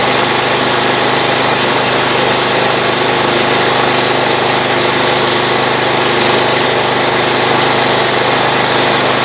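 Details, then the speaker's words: Old Ariens riding mower, unused for a couple of years, battery jumped; running on the stale gas left in it. It starts and holds a loud, steady drone with no stumbling, popping or surging: normal running. "well that's amazing i did not think it would run off that gas that was in there because i could smell it just sitting next to it but hey it runs again"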